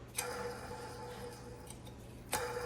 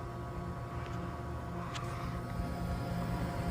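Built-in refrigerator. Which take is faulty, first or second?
first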